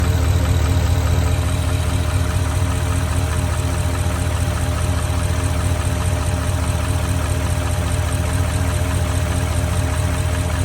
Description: This is the classic “piston slap” knocking that pathognomonic for bore scoring.